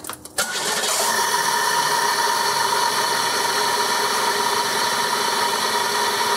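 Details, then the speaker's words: 1995 Oldsmobile 88 3.8L 3800, first start after a new Dorman upper intake manifold was fitted to cure a major coolant leak; catches quickly and runs evenly with a high whine from the IAC, black smoke but no white smoke; normal start and idle. "yeah definitely sounds different with the Dorman lets like we got black smoke now no white smoke"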